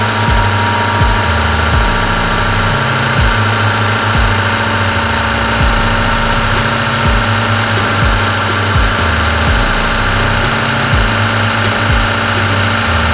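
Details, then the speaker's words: Fuel-injected car just after cold start, coolant around 40°C: steady even hum at a raised fast idle that drops as temperature climbs toward 80°C; normal cold-start fast idle. "nah ini terdengar sekali RPM sangat tinggi ini nanti bisa kalian lihat dari titik 40 derajat RPM masih tinggi nanti semakin naik akan semakin turun rpm nya"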